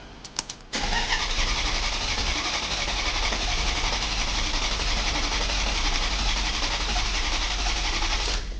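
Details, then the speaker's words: 2007 Maserati Quattroporte, crank no start, ECU back from repair with immobilizer disabled, no dash lights: starter turns engine steadily about four times a second for eight seconds without firing; crank no start. "Okay, it cranks over, which is good. But I need lights on the dash."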